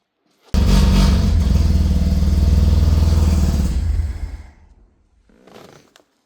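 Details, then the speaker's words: 1985 Mazda RX7 GSL-SE 13B rotary revived after 24 years. It catches and runs briefly with a fast buzzy pulse, then fades and dies, probably not running on gasoline. "We idled for a minute. Just a sweet minute. Probably not on gasoline, but we did idle."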